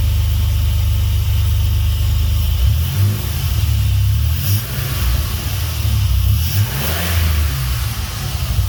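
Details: Swapped Dodge 3.7 V6 in a truck, started after new crank and cam reluctor rings fixed a no-start. Deep low rumble running on its own with a few throttle blips and no knocks or misses: runs fine.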